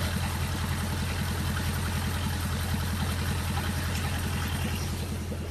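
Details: Miller Big 20 welder engine after new spark plugs and points, which should idle at 1200 rpm. It gives a steady, even low thump with no misses; the owner thinks the idle is too high and is checking it with a multimeter.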